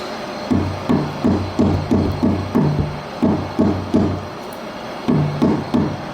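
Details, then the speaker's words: 2010 VW Fox front suspension after tightening loose link bolts: hand strikes give dull, solid thuds with no rattle; no suspension link knock, noise gone, confirmed on test drive. "aí o barulho não existe mais vamos montar de novo as rodas torquear e dar uma volta com o carro"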